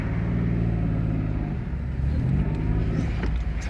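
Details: Citroen C1 1.0 after replacement of a seized outer CV joint, driving on hard left full lock: a steady low engine hum with no rhythmic clicking from the drive shaft.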